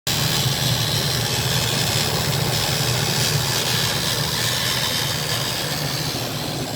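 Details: 2001 Ford E250 Triton: steady, loud engine drone with a rough, uneven low rumble underneath; an abnormal engine noise whose cause can't be pinned down.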